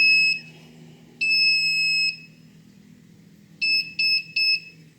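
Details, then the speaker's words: Haswing Protruar 1.0 brushless 12V 65lb thrust trolling motor modified for a wired remote: two long high alarm beeps warn the throttle pot isn't zeroed/centered, then three quick beeps confirm it's centered and ready. "now what I'm going to demonstrate is when the pot isn't zeroed out for your motor you're going to get the alarm beep saying that it's not centered"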